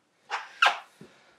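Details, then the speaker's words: Pace MBT-250 rework station with a vacuum problem, tipped over by hand: three short, sharp clattering bursts like a loose fragment tumbling inside. The cause was found to be a broken vacuum pump shaft, later repaired with fiberglass cloth and resin. "now that I was rolling it over you hear that something is rattling around in there"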